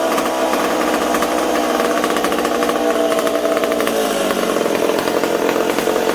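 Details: McCulloch Super Pro 70 chainsaw on the bench with a suspected intake air leak: saw runs ragged and hunts, pitch wandering and sagging instead of holding steady; owner suspects the decompression valve is leaking and plans to replace it.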